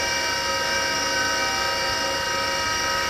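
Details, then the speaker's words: Small former military Carter rotary converter test run unloaded, output about 120 V at 67.5 Hz: steady high singing whine over smooth hum; bearings humming loudly, worn and needing replacement along with carbon brushes. "and yeah the bearings are humming and singing quite quite loud so they really need to uh yeah they really need to be requested"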